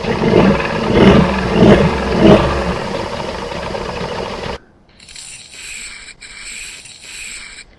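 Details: Suzuki 85 hp two-stroke outboard, around 1985, at idle while its three carburettors are synced with suction gauges: low, rough putter pulsing about ninety-some times a minute for a few seconds, then dropping away.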